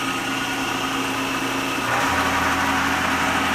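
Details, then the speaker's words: Milling machine (bought at auction) on a DIY rotary 3-phase converter: the idler motor runs rough until a button engages a bigger capacitor to power its third leg, then hums steadily with a smooth pitch shift; the converter's burned resistors were replaced with 15 kΩ 10 W ones; normal running. "So you can hear the motor, the idler motor, was really rough until I hit the button to engage the bigger capacitor to supply more power to the third leg of the idler."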